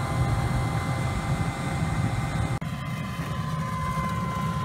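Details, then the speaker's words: DIY flue blower with a plastic blade and a condensate catch, drawing 114 watts, warm to the touch: smooth, steady low fan rumble with a faint constant tone and some condensation splashing; no knocks or rattles, running evenly and healthy. "I think this thing's gonna work out pretty good. Plastic blade and all. I'm just impressed how much air it puts out for the water not putting in there."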